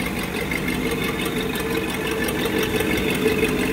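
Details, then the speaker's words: 1959 Buick LeSabre sedan, numbers-matching unrestored 364 V8, recorded under the hood at idle: light, loosely regular puffing tick; suspected small exhaust leak under the hood, not confirmed. "it's got a little bit of an exhaust leak under the hood you can probably hear that something obnoxious what it is"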